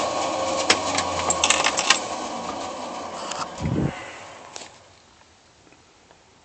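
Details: Slant 6 starter cranking: harsh rattling grind with sharp metallic clacks, gears sounding stripped, then winding down to silence. Suspected starter gear grinding, not confirmed.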